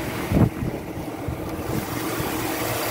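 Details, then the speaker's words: 2007 Chevy Tahoe LTZ 5.3 V8 4x4 automatic, aftermarket air cleaner, former work truck at a wrecker: steady even low idle under wind buffeting, no knocks or ticks; nice runner, good engine. "okay nice runner 5.3 as you can hear it"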